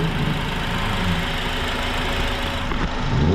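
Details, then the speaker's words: Honda Accord 2.4L with a replacement engine just installed, new belt, fresh oil and coolant: even low idle rumble with a clean rev blip, no knocks or ticks; engine runs smooth and healthy. "So, oh heck yeah, that engine sounds good, guys."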